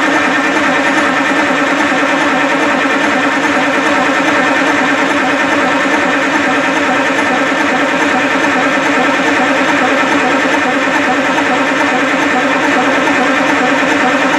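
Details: 1968 Kenworth W900A with a non-turbo 8V71 two-stroke Detroit diesel, being started for the first time in years: fast, even churning as it turns over with no firing; cranks but not catching yet.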